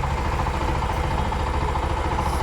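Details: Bajaj BS3 motorcycle just started after re-boring, with new bearings and clutch work, jump-started on a low battery and not yet tuned: a low, even putter with regular firing and no misses or knocks. It idles smoothly.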